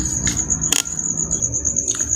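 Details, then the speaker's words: Makita drill that had been growling, weak and overheating, after replacing the brush springs burned by heat from overuse: steady high-pitched motor whine over an even low hum, no growl; runs normally at full speed. "Kita coba colokkan listrik. [Musik] Sudah normal kembali. sudah."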